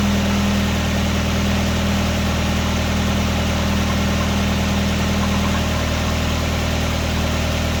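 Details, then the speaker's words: 1999 Nissan Sentra 1.6 idling after an EGR delete and new headers were installed: a steady, even, smooth quiet hum with no knocks or misses. Much quieter than before the repair. A little oil smoke appears near the oil pan. Normal idle. "Man, this sounds much better. Much better. Much better. I was getting tired of how loud this thing was sounding."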